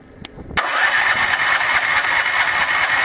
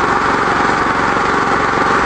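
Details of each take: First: 13HP small engine on Victory wood gasifier gas, starter tried after closing flare valve and blower; mixture too lean. Hissy cranking about three to four turns a second never catches: failed start, needs richer mixture. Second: 13HP small engine running on Victory wood gasifier gas after restart with mixture set correctly; hasn't run on gasoline in a long time; some tar reached engine. Fast, even buzzing run at steady speed, no surging or sputtering: normal running.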